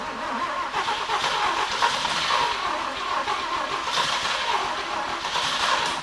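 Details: 1950 Willys Jeepster with a Chevy 194 inline six and a Rochester B carburetor, on a nearly dead battery: steady, tired starter cranking that never catches. No spark because the ignition points are shorted to ground.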